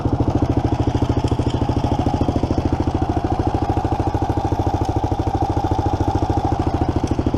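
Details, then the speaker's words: 1987 Kawasaki Mojave 250 single at idle after a carb job, throttle sticking slightly: a loud, regular clatter on every firing beat, about three per second; owner suspects a loose timing chain slapping because the tensioner is completely loose, not confirmed. "pretty sure I do hear the timing chain smacking around a good bit yeah I definitely hear the timing change oh I get too rough on that timing chain is loose"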